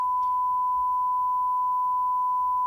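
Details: Behringer PMP 3000 mixer: steady pure whistle near 1 kHz at constant loudness, microphone feeding back through the mixer; channels 1 and 3 reach roughly the same gain before feedback (about 75), though channel 1 is noisier.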